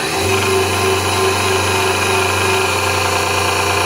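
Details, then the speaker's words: Vitamix blender blade assembly after greasing the bad bottom bearing, with the second bearing left ungreased: motor spins up to a steady, even whir with no grinding or bearing roar, bearing noise quieted. "or even here the plates rattling and everything so I would say that's actually successful at quieting those bearings out"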